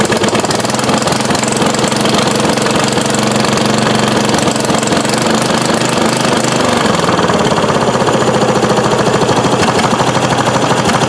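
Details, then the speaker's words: 1993 Craftsman LT4000 lawn tractor, first start in 4 years, choke used: single-cylinder engine runs rough and steady, then slows into uneven pulses around seven seconds and dies; owner suspects out of gas or the poor air filter. "Probably ran out of gas. Should check to make sure that thing isn't leaking again. Oh, doesn't look like it. Or maybe the air filter choked it out."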